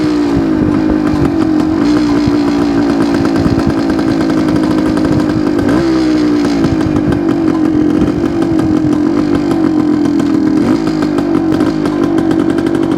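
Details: 1972 Suzuki TS250 two-stroke with a fuel delivery problem, test run after carb work with the 170 left in: revs rise roughly, stumble and dip, not picking up cleanly; still not taking fuel; owner plans to change the spark plug next.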